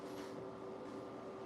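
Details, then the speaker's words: New countertop ice maker running after water is added; a steady mid-pitched hum with a soft airy whir, like an air conditioner, from the water circulation, a normal running sound. "I don't know if you guys can hear that now. Sounds like a air conditioner."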